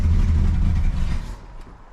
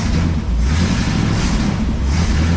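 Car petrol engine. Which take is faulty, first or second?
first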